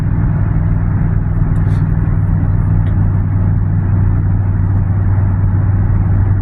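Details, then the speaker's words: Car with an exhaust leak, driven after sitting, engine previously had a tick, cruising: deep, steady, truck-like rumble with little high end, typical of the leaking exhaust. "But I personally think this thing sounds like a truck."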